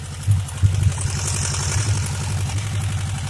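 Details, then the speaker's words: Suzuki Katana GSX 600 motorcycle just started, steady idle: regular light knocking with the firing, louder on the right side; owner suspects the cylinder head, valve adjustment or camshaft beds, not confirmed. "Тут больше как-то с правой стороны. Ну, по всей видимости, стук идет из головки. Возможно, пора регулировать клапана или же смотреть по стеле распредвалов."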